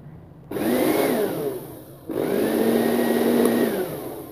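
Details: NOWAKE juicer-blender: two short runs of smooth, even motor whir spinning up and winding down cleanly without grinding or rattle; healthy motor.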